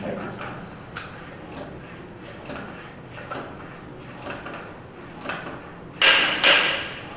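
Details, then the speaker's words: Triban RC 520 road bike tyre pumped up to about 90 psi after mounting, presta valve: pump strokes roughly once a second, then two sharp cracks near full pressure as the bead snaps onto the rim; tyre seating properly. "Get a few cracking sound. Okay, this is about. Okay, so this is about 90 psi. So let me. I can see a few cracking sound already."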